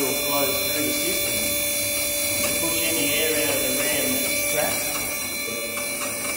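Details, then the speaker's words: Stratos SR40 scissor hoist at full height, override button held for monthly air purge: steady pump hum with faint hiss of oil returning to top; normal hydraulic operation. "Normally it would stop, but the override button allows you to purge the system. Yep. So you can hear the oil coming back to the top."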